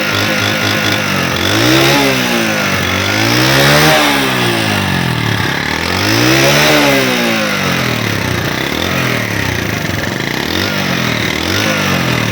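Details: Honda CD70 motorcycle engine after repair (head refitted, tappets adjusted, oil-to-head starvation fixed, no full engine teardown): revs rise and fall smoothly several times, even firing with no tapping or knocking; normal healthy running.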